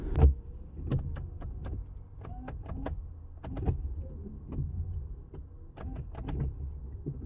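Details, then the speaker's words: After cleaning the rubber wiper blades, grooves and hinges with WD-40 Silicone Lubricant Spray to stop squeaking, the wipers sweep with soft, even thumps and no squeal or chatter; one squeak was heard, but the fix worked. "i did hear one art squeak but guys it's done the job for me"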